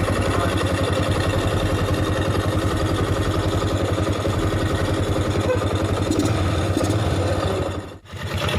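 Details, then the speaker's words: 2008 Yamaha Jupiter MX 135cc after engine teardown and cleaning: steady even single-cylinder putter at idle, no knocks or ticks, no symptoms; normal idle. "bosku, Semuanya mulus, tidak ada gejala, ya normal."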